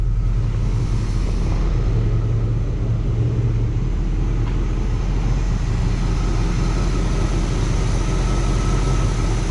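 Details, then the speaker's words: 1979 Pontiac Trans Am 10th Anniversary V8, revived after 30 years, with idle picking up when the vacuum-controlled AC is turned on: a deep, steady rumble with an even low beat and no misses or knocks; runs really smooth. "It runs really freaking smooth."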